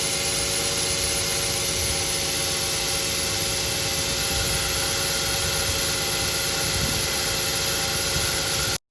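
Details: Car engine running after a squealing serpentine drive belt was swapped for a new one: even, steady hum under a constant hiss, with no chirp or squeal. Normal running after the belt replacement.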